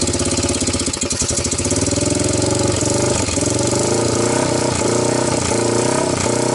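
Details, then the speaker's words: 1998 Honda TRX300EX, previous-owner rebuild, valves adjusted, no gas tank, starting on choke: loud uneven single-cylinder beat with stumbling revs; owner suspects incorrect carburetor fuel level, not quite flooding. "so I think my my problem is this carburetor the level is not in a good place it's probably not quite flooding"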